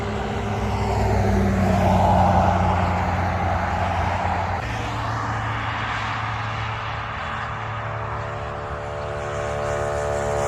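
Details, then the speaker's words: Honda Trail 125 (CT125) rebuilt with a 164cc big bore piston and cylinder and a bigger fuel injector, first idle to warm up before break-in: one blip, then smooth, even single-cylinder idle with no tapping or knocking; normal. "Sounds fine. Nice and smooth, no problem. I'll let this idle for about 5 minutes, just getting it all warmed up."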